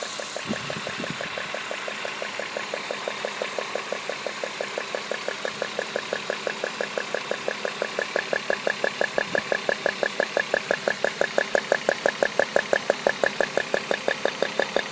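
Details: BMW E36 323i M52 straight six idling with the plastic cover off: sharp, regular ticking about three a second, started suddenly, seemingly from the coil pack(s), cause unknown: ticking noise at idle.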